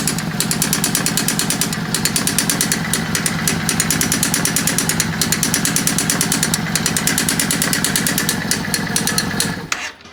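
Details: Yamaha V Star 650 with a lumpy idle and a sharp metallic clatter ticking about three times a second over the exhaust until shutoff; a really bad engine sound, something clearly wrong inside, cause unknown.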